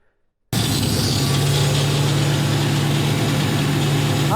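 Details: Ford Capri with swapped 5-litre Mercedes V8, after tracking down an exhaust leak: engine catches and settles into an even, steady idle with no puffing or ticking from the exhaust; sounds healthy.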